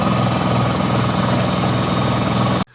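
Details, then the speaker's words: Air compressor set to auto, filling its tank: loud steady pump drone with even rapid chatter, then an abrupt automatic cutoff at about 140 PSI on the tank gauge; normal fill and shutoff. "You'll hear it turn on, and then it'll be really loud. So we're going to let it run to build up the pressure that we need it to in the tank, and then it will shut off automatically when it reaches approximately 130"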